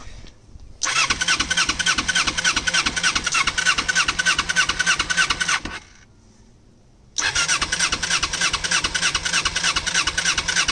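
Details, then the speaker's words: 1988 Kawasaki Ninja 250R 250cc inline twin, possibly first start in about 14 years, choke partly on, in neutral: fires, runs rough and raspy, dies, restarts; it died when revved, carbs full of gunk then cleaned. "right so I just put the whole bike back together since uh it was dying when I tried to rev it I took the car the carbs apart and uh clean them out they had a lot of gunk in them"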